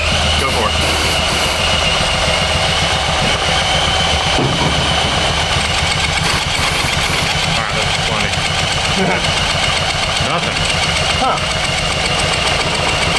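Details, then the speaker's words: Honda Ruckus replacement engine of unknown condition cranks sluggishly and unevenly at about four turns a second without catching; it is suspected to spin too slowly to power the coil, so a fresh battery or charger is planned. "So I don't think we're spinning this engine fast enough for the charging system to create enough power to power the coil, because it sounds like it's not spinning fast enough."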